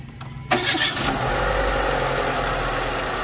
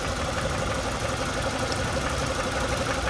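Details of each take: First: Renault Megane 2 with cylinder 2 and 3 ignition coil circuit faults and loose coil connectors, started after tightening connectors: quick crank, steady even idle with no misfire; ECU, coils and wiring fine; normal start and idle. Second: Renault Megane 2 with Check Injection and Check Gearbox warnings, low power and codes DF073/DF074 for cylinder 2 and 3 ignition coil circuits: rough, shaky idle with missing firing pulses, smoothing when the cylinder 3 coil connector is touched; misfire from loose coil connector.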